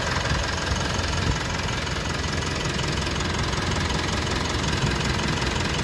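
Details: Mitsubishi Pajero Sport 4N15 diesel at idle: steady, even light clatter with no misses, knocks or surges; normal, smooth engine.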